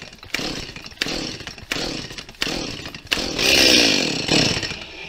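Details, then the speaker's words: Stihl chainsaw, cold first start: throttle trigger fully pressed and choke fully closed; four sharp pulls, then a brief buzzy catch on the last that quickly dies away, the normal first fire and stall on full choke before moving to half-open. "бессмысленно Надо вернуть язычок вот он дальше не пускается в полуоткрытое положение"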